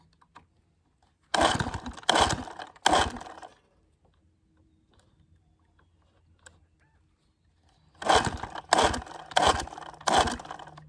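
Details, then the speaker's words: 1966 Evinrude 6 hp Fisherman outboard, scrapyard find, formerly seized, with choke: short bursts of pops on each pull-start, catches briefly then dies; fires but won't keep running, lean sneeze suspected. "it does it does want to fire but it doesn't want to go"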